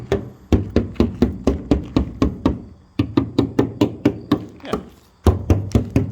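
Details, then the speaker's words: Knuckle-tapping a Mustang's crushed front corner panel: steady taps about three a second, some duller and deader where Bondo was packed over the metal; body filler needs addressing. "you can hear the sound change metal Bondo so that needs to be addressed"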